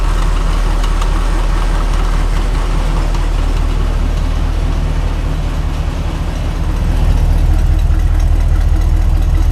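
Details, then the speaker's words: Grain truck idling after its exhaust leaks were fixed and a dual exhaust was fitted: deep, even idle rumble with a mild exhaust bark, no ticking or puffing, much quieter than before; the engine runs smoothly. "That dual exhaust sounds good on there."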